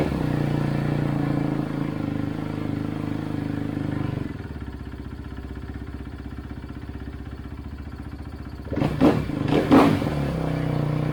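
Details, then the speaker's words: 2011 Kawasaki KX250F four-stroke single, kick-started after an idle-issue repair. Slow, uneven idle that drops lower after a few seconds. Idle adjuster is fully out and idle is still slightly too low, though improved. "she's definitely idling this is much better than it was however I've got this adjuster absolutely all the way out as far as it can go and it's still just a tick too low"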